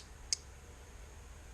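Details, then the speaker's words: Standard automotive relay on a demo circuit (battery feed to pin 30, blue wire out to a light, 85/86 grounded and switched) energized: one crisp click as the coil pulls in, moving from 87A to 87, then silence; light turns on, relay switching cleanly and normal. "And what that's doing is the relay itself started out on pin 30 and pin 87A."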